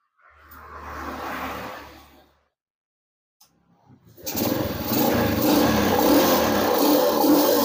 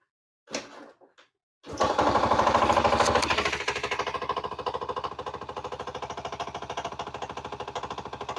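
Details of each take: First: Yamaha Jupiter Z motorcycle after repair: starts and idles evenly with no knocking; earlier clunking, mistaken for connecting-rod trouble, came from a nearly detached loose magneto on the left side, now fixed. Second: Yamaha Jupiter Z motorcycle brought in over a frightening knocking noise when ridden. It starts and idles with a hard, rapid clatter, about three knocks a second, riding on every firing. Loose flywheel nut knocking.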